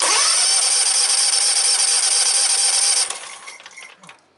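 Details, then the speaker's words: John Deere X300 rider, time delay module black wire reconnected: steady high-pitched starter whir for three seconds with no firing, no spark and no fuel solenoid action; suspected failed time delay module. "I'm going to reconnect that black wire and retest it give a little bit of fuel and we're back to no spark no"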